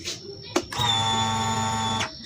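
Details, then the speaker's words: Honda Vario 125/150 fuel pump after servicing, pressure near 3 bar (spec 3 bar): clicks, then steady high-pitched electric whine holds about a second and cuts off cleanly; normal priming. "Kalau untuk suara yang seperti sempitan jangan khawatir, karena itu suara rotaknya."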